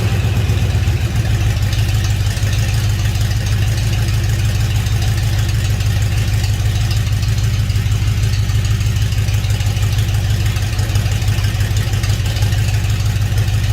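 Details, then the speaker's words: 1956 Ford F-100 swapped engine, first start on a temporarily wired ECU, no coolant yet: catches within a second, settles into a steady even idle with no knocks; some smoke from new paint; healthy runner. "See how easy it starts and stops, or if it does or not. Here we go. Here's a runner."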